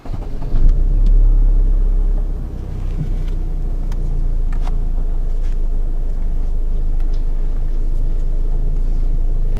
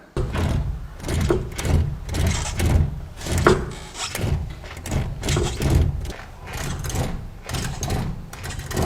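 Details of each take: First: Chevrolet, front raised: after tightening the loose nut on the strut top mount (paint marks had separated; mount rubber and bearing fine), turning the steering no longer gives the clunk, just steady low engine rumble, no knocks from the front suspension. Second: Chevrolet clunking when steering, car lifted and front wheel rocked; dull repeated clunks from the strut top mount; paint marks separated showing a loose strut top nut, mount and bearing fine; tightening the nut cured it.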